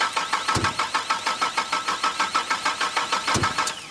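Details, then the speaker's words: 1972 Holden HZ ute with a 3.8L Ecotech V6 of unknown engine condition: the starter cranks evenly at about three turns a second, two sharp backfire pops break through, and it never catches. Crank no-start; basic checks, starting with the spark plugs, to follow. "So hopefully that came across on the camera all right, and that you heard that there was some backfiring and it obviously didn't start up."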